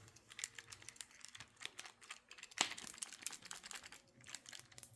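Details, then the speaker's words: Craftsman V20 cordless drill, cooled after overheating and smoking while boring 1-inch spade-bit holes: irregular plastic rattle when shaken. The motor's plastic fan blades had broken off and are loose inside the housing. "There's a rattle and chunks of something have been falling out of it. I don't know if it's plastic or what, but uh um this is not healthy anymore."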